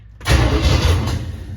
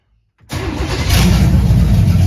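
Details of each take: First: 1978 Camaro, 383 stroker V8 with Vortec heads, first start-up, transmission not hooked up: a short loud rumbling churn as it turns over but never catches; cranks but no start, cause suspected, not confirmed. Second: 1978 Camaro 383 stroker with Vortec heads, first start on a simple temporary fuel system, timing advanced about five degrees, gas pedal not connected: fires quickly into a deep, steady V8 idle with slight lope, no knocks or ticks; normal idle.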